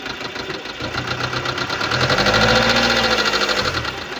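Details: 2015 Subaru Legacy BR, 2.0 L (1998 cc) 150 hp diesel, engine code FB20, 146,842 km: fast, even, light tapping over the idle that quickens with brief revs; defective hydraulic lifters, valvetrain needs urgent repair.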